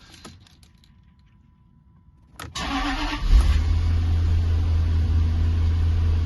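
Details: Jaguar XK8 V8 restarted after first run since 2015 on old original petrol, new oil and fuel pump: brief crank, fires straight away and drops into deep, smooth, even idle; starts healthy, engine management light still on.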